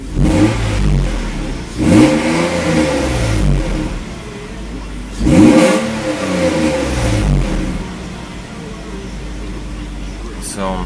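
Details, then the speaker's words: 1993 Mercedes 190E SportLine, 5-speed manual, 3.2L M104 swap, after wiring repairs; idle 650 rpm with good oil pressure: two sharp blips climb quickly and fall back cleanly to a steady idle. It revs freely and crisply, with an exhaust leak noted. "it works nice revs up nice quick I like that"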